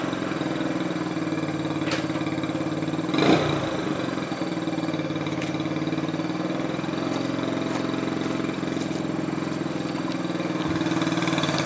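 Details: 1968 Honda Trail 90 that sputtered on the road, after the sticking carburetor slide was fixed: the small single holds a steady, even putter through one brief blip, with no stumbling or sputter. It idles healthily.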